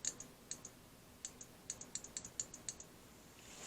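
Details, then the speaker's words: Honda CR-V relay being bench-tested with 12 volts from a battery during a fuel system fault diagnosis: crisp sharp clicks each time power touches the terminals, about a dozen in a few seconds; relay switching normally. "we're going to put 12 volts to this relay to see what she does you can hear an audible click"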